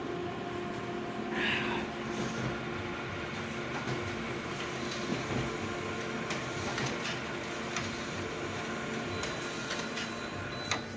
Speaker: we're just gonna switch that on we're just gonna dial up two sets and just get it going oh that sounds terrible let's squeak